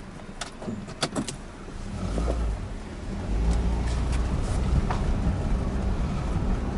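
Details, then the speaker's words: Toyota Corolla road test over potholes after repairs for suspension noise and oxygen sensor fault; check-engine light now off. Low even road rumble, a few light ticks early, no knocks over bumps. Suspension quiet, noise fixed. "os barulhos mas eu não tô escutando mais nada e vai dar uma voltinha tem um pouquinho mais longe ali em cima e a sonda Lia firme e forte trabalhando"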